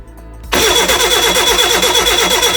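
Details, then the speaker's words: Reliant Regal Supervan 3 engine on workbench, new starter motor wired direct to battery; starter spins engine quickly and evenly with steady whine, proving engine isn't too tight. Normal cranking. "that is what I wanted to hear that proves that my engine's not too tight thank goodness for that"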